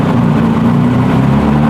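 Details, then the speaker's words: BMW E46 with turbocharged M52 (Precision 6466 turbo), after first start following engine build: settles into steady, even running note with no misses, knocks or rattles; good oil and fuel pressure, normal running. "It's running. You can breathe now. We have good oil pressure. Good fuel pressure. You did it."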